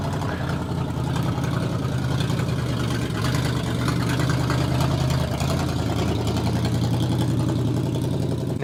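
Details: 1969 Dodge Charger V8, original engine first fired up after sitting for years: steady even low burble at idle with no knocks or misses; runs smoothly.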